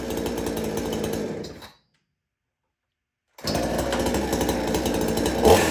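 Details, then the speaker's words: Extreme Power 82100 XP chainsaw fitted with a Salem Master muffler: an even, crisp buzz that cuts out briefly, then restarts and holds steady. Throttle response and idle are good; it is running normally. "And it allows it to run a lot better with good throttle response and a good idle speed onto the saw."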